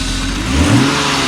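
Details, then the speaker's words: BMW E36 323i with M52B25 single-VANOS petrol straight-six, after camshaft position sensor replacement; ECU relearning after battery reconnect. Short, smooth rev rising and falling cleanly, steady exhaust tone, no stumble or hesitation; normal revving. "Definitely turning a lot better. Oh yeah."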